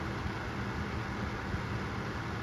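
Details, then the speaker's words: Vornado Flippi V10 personal fan, found at Goodwill, running on high: steady, even rush of air over a soft low hum, no ticking or wobble; guard design and hollow plastic housing make it echo, moderately noisy, sounds like a tower fan; normal running. "it's not um super quiet but it's not really loud either it's just kind of"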